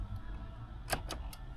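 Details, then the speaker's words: Nissan 300ZX Z32 after replacing blown fuse, key on: four sharp hazard flasher relay clicks over low electrical hum, hazards working normally though indicators still not working. "All right. We've got hazards. Good start."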